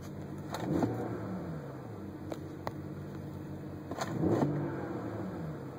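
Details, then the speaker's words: BMW N54 engine, quick revs: loose metallic ratcheting clatter from the turbocharger, the wastegate rattling, typically from a failed pivot bearing where the wastegate arm enters the turbo. "Hear that ratcheting type noise. And that's actually the wastegate's rattling."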